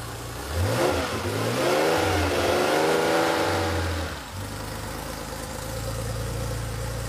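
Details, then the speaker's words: Rebuilt air-cooled Porsche engine running on a test stand after cam timing was set; it blips up smoothly, falls back cleanly and settles to an even idle with good throttle response, with no exhaust leaks, oil leaks or odd noises. Normal running. "No exhaust leaks or anything, that's good. Really happy with how it turned out. No exhaust leaks, no oil leaks, no funny noises."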